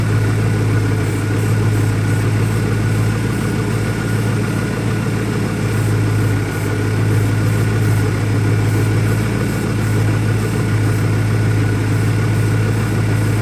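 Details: 2001 Ford Mustang Cobra V8 with a deep, uneven idle, loping unsteady beat and no clean rhythm; new Bosch plugs fitted, owner vacuum-testing for leaks, rough idle cause not pinned down yet.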